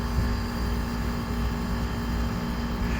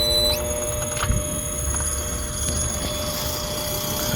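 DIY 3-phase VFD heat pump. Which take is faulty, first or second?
second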